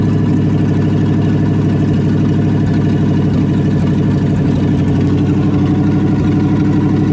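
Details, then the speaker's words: 1972 Chevy K20 4x4 V8 first start after sitting 15 years, new manifolds: even steady idle, regular low exhaust pulse, no knocks or misses; smoke likely oil burning off new manifolds; normal idle. "probably just oil burning off of the new manifolds yeah sounds good could use a little bit of a exhaust pipe though"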